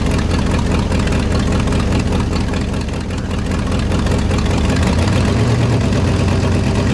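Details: 1969 Ford F-100 FE V8, running after sitting, idling on all 8 cylinders: loud chuffing idle with a raspy puff at each firing pulse from a giant exhaust manifold leak, typical of FE engines; headers planned as the fix.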